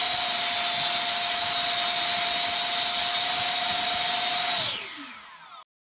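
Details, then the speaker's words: Shrill steady fan whine holds at full throttle then suddenly drops and winds down after about five seconds; SU-27 ducted fan on a so-called 100C pack cuts out during thrust testing after failed maiden. "and then this just cuts out uh let's try again"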